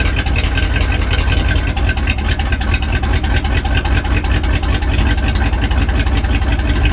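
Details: 1967 Chevy C10, 327 V8, 11,200 miles, first run in 33 years after fuel system sorted, no exhaust: loud, deep, steady lumpy idle, no knocks or misses; normal idle.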